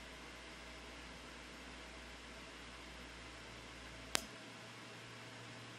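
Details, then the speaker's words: Titan XP graphics card after ten minutes of load: steady airy hiss of small blower spinning fast, even, no rattles, at 88 °C, 88% fan speed, 1772 MHz core clock; normal but loud high-speed cooling. "it's been a little over ten minutes and it looks like we've settled out at 88 degrees Celsius 88% fan speed and seventeen hundred and seventy two megahertz a lot faster but as I'm sure you can hear a lot noi"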